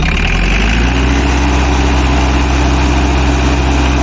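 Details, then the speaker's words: 1971 English-built Mahindra International 276 diesel tractor: steady, even idle with a deep low thrum and no knocks, ticks or pump clatter; the engine runs clean and healthy. "इसका distortion free engine है कोई खटर-पटर की कोई ऐसी आवाज नहीं है बिल्कुल ही साइलेंट"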